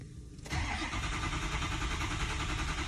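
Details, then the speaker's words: 2004 Ford F-350 6.0L diesel after injector replacement, 30-second crank: fast steady cranking churn, about three and a half beats a second, no start. Injection control pressure is only 5 against 1154 demanded, with IPR at 15%; it fires once pressure rises. "It's demanding 1154. It's only doing 5, so we're going for a 30-second crank."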